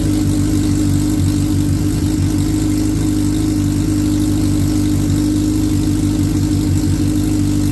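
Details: 2003 Suzuki Hayabusa first started after repair, airbox off and intake air temperature sensor unplugged: steady, even four-cylinder idle with a low, constant hum and no misses or knocks; the oil light goes off right after key-on; normal idle.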